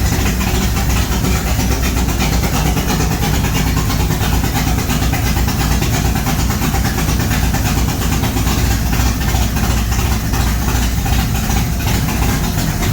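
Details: Chevy G-body Monte Carlo SS V8, first start after a fire and transmission rebuild: catches and settles into a steady, even idle with no misses, knocks or odd noises; sounds healthy.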